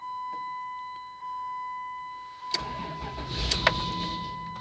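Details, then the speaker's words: 1996 Dodge Grand Caravan SE 3.3 V6 FWD automatic, started after priming the key: door chime, short crank and catch that sputters and dies within seconds, won't rev, engine light flashing; starts and stalls, cause unknown. "and then it dies quickly and it I can't even rev it or do nothing. And as you can see, the engine lights flashing."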